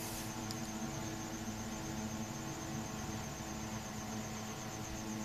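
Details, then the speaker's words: Holmes three-motor window fan after lubricating the seized motor bearings, bench test before reassembly: center motor starts first, others follow; steady even hum and faint whir with no scraping or rattle, running smoothly. "they seem to spin quite well now let's just do a quick check plug it in let's see you leave the center one fires first yep as far the other two working"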